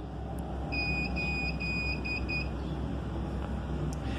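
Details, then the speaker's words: Hikvision/HiLook DVR beeping continuously: a shrill electronic beep over a low hum, first steady, then quick pulses. This occurs mainly after frequent switching on and off, and is resolved by shutting down and rebooting from the menu. "in this video I will tell you how to resolve this problem when your DVR is continuously start beep like this"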